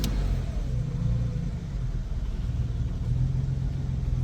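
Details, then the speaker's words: 1952 Jaguar XK120 after slow-running mixture screws were backed out a turn or two; low, fairly even idle rumble with slight waver, settling into a steady tickover. "We started by lowering the slow running screws to their settings, then unscrew them by a full turn or two until we noticed that Patsy was running a little better."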